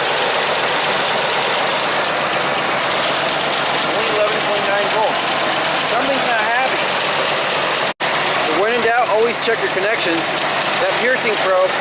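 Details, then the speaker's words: 1985 Jeep CJ-7 Renegade with Holley Sniper EFI, temporary diode fitted with piercing probes: idle keeps running evenly after key-off with 11.9 V still present. Engine run-on after key-off. "so with everything hooked up let's see if the Jeep shuts off with the key [Applause] uh-oh 11.9 interesting"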